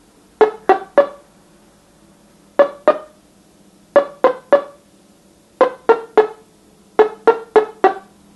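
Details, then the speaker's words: A customer's NuTone LBC55 electronic musical door chime, before repair, plays the anniversary waltz as plucked bell-like notes in uneven clusters of two to four, with timing and pitch off. The chime is faulty. "so believe it or not that's the anniversary waltz and again that's not what it's really supposed to sound like"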